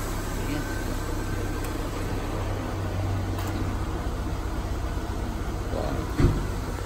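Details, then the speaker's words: Peugeot 206 (2002, TU3JP engine, multiplex wiring, AC controlled by the BSI) after repair of the BSI's burnt IC: steady, even low drone from the blower and compressor with no cycling, rattles or squeals. The compressor now engages and the AC blows cold; normal air conditioning operation. "sudah dingin ya, sudah jalan kompresor sudah dingin."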